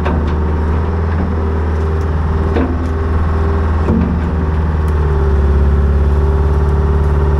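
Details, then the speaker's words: Old budget excavator diesel after priming the fuel system with an electric pump: heavy idle with an uneven hunting beat and occasional stumbles; running better but rough, fuel issues still suspected. "all right so it's definitely running better but um I still think there's some fuel issues going"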